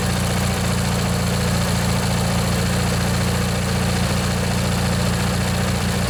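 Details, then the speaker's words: Montgomery Ward/MTD riding mower, 16 hp Briggs & Stratton flathead opposed twin, first run in one to two years after replacing a worn-out starter motor: steady, even low putter with no misses, knocks or surging, runs real nice. "i think that was the problem folks just that old starter motor there was just worn out let this run a bit let you guys listen if you want yeah it runs real nice"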